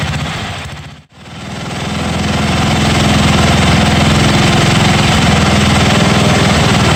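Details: 1982 John Deere 108 mower, first start: single-cylinder thumping about 200 beats a minute, nearly dies once then surges back. Runs rough; jet adjustments did not help and owner says the carburetor needs replacing.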